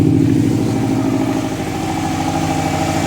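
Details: Prodrive Subaru Impreza STi on a mild rebuild, first start after fitting mechanical upgrades: catches and holds a smooth, even run with steady pulses and light revving, no knocks or misfires; healthy, though a fuel clamp was found leaking afterwards.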